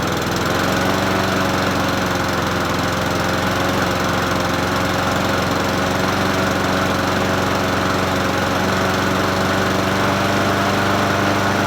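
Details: Troy-Bilt self-propelled mower with Honda GCV160 engine, free find, first start after adding fresh gas and opening fuel tap: starts within a few pulls and holds an even, steady drone without knocks, misses or hunting; normal running.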